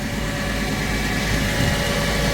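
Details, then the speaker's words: Hardi 363 sprayer pump after new bearings were fitted, spraying water as a test. A steady, even drone with no knocking or grinding; it runs smoothly and the rate is correct, so the repair seems to have worked. "Sounds good. Smooth. Good. Working."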